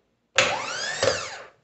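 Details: Mercedes-Benz MB 710 starter motor, test after fixing poor contact at ground bolts: brief high whine climbs fast, holds steady and spins down cleanly with no grinding or stutter; healthy starter free-running.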